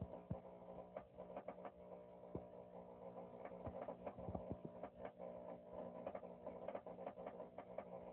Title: Power Jack inverter 6000 making Popping noise